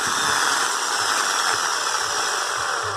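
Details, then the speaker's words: Bosch Super Hobby drill on 127 V after preventive maintenance (kerosene cleaning, commutator sanded with 1200 grit, bushings lubricated), housing closed; smooth, constant high-pitched motor whine with no grinding or rattle, running normally. "Carcaça fechada, vou ligar na energia agora para verificar se ela está funcionando. 127 volts, ligado, vamos ver? Funcionando normal."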